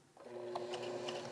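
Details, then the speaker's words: Sewing machine running in reverse stitch: steady hum with uneven rough jagged tapping that doesn't sound right; thread rips and skips when sewing backwards, bobbin swap didn't help; cause unclear. "Yeah, that sound does not sound right. It feels a little jaggedy, you know?"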